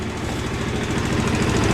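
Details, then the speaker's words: Small two-stroke scooter after clogged fuel filter was blown out (not replaced), starting first time on kickstarter; quick even putter idling, picks up slightly, runs clean. Normal idle. "Всего лишь бензофильтр. Ну, сами смотрите по состоянию. Если там совсем забился, то нужно его поменять. Но у меня он вроде как нормальный. Я его просто продул. И в результате все заработало. Заводится с полуоборота с кикстартера."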